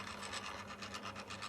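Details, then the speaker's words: The original, non-programmable calcium reactor doser pump switches on at random and makes a harsh, raspy mechanical grinding that pulses about eight times a second over a faint hum. It was later replaced by a quieter, programmable unit running continuously at lower speed. "Very annoying was the original doser of the calcium reactor, which you couldn't program in any way. It just turned on every now and then and it creates this very unpleasant mechanical grinding noise."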